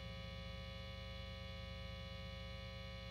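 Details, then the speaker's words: Jazzmaster-style guitar on the bridge pickup only: a constant, sharp, buzzy 60-cycle mains hum. "That is a sharp sounding 60 cycle hum that is buzzy as funk right now."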